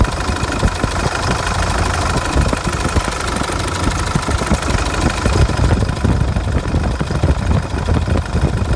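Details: 2005 CRD diesel after harmonic balancer replacement: steady diesel idle with a sharp, irregular knocking riding over the rumble; new noise appeared after the repair, cause not confirmed.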